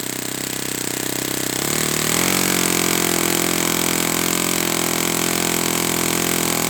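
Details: Brand-new Saito FA-100T twin model engine on test stand during break-in run: steady buzzing drone rises smoothly after a couple of seconds, then holds even with no sag or misfire; running perfectly, normal.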